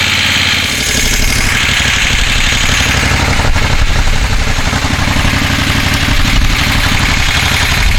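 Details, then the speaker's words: 1973 Moto Guzzi Eldorado, first start in 25 years after tank coating and carburetor cleaning: loud, uneven idle thumping about four beats a second; runs, sounds not too bad, condition still unclear. "sure what it's supposed to sound like that doesn't sound too bad"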